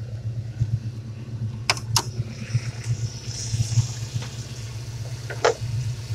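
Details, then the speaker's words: 1995 Ford Mustang GTS V8 after replacing the idle air control valve (previously erratic idle): even, steady low burble with no hunting or surging; healthy idle after repair. "She's purring now. I'm gonna step back away and talk about it. The car runs great. I changed the idle air control. It's very steady."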